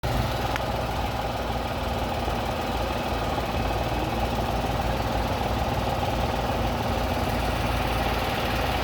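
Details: Tata Tigor at idle: uneven running with irregular low thumps, roughly three per second, and a heavy shaky vibration, a severe misfire.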